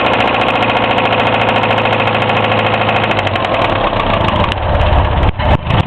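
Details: Hillman Imp engine just reassembled, on one of its first starts: rough idle with a heavy, uneven knock of about three per second; bearings, tappet clearances and oil level were checked OK, cause unknown.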